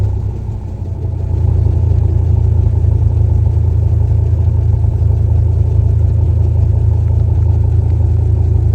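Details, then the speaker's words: Dodge 2nd-gen Ram V10 with a newly installed dual exhaust: a deep, even burble at idle that swells as the throttle opens and settles into a steady rumble. This is a normal exhaust note with no leaks. "Well, we got our dual exhaust done. Sounded pretty good as you just heard. I mean, for a V10."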